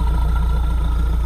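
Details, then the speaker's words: Mahindra Roxor diesel after warming up from a cold start at about -5°F following polar-vortex storage: deep, steady idle with even low pulses and no knocking; now running smoothly with reduced smoke. "now running smoothly the smoke has reduced"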